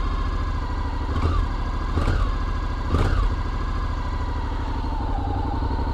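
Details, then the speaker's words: 2021 Honda NC750X DCT, cold start before recall ECU update; steady idle with three small throttle blips that stutter instead of rising cleanly, which can cause stalling. Throttle stutter from ECU fuel-injection mapping. "so there's not any plane to throttle but when you open the throttle up just a little bit it always seems like it stutters whatever"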